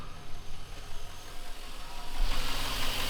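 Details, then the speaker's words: Chevrolet Silverado after repair, mass air flow sensor reconnected, oil full: quiet, steady low idle holding on its own without throttle, even rhythm, no knock or stumble; normal idle. "Look at that. Truck runs great. It's idling by itself."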